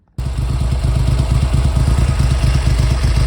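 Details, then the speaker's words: Triumph Hurricane X75 triple running rough after a third-party restoration. Cold start on heavy choke, chugging with uneven, lumpy firing pulses while warming up; the throttle is sticking slightly. "well she's still warming up so I've got quite a a bit of choke on her still but she didn't fire up too [Music] bad"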